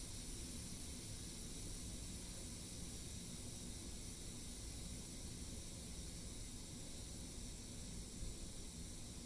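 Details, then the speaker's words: Pressure cooker with pot roast and potatoes venting at pressure release: soft, steady steam hiss with low rumble, tapering as pressure runs down; normal release. "It smells incredible, but we're sitting here waiting for it to release. You can hear the hissing getting lower, meaning it's almost done."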